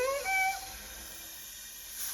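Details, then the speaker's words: Chevy Vortec L31 V8 on the bench, cylinder at top dead center on compression with both valves closed and pressurized: steady high hiss of air leaking past the intake valve seat. Intake valve seat leak. "we got air leaking so that valve seat is not good"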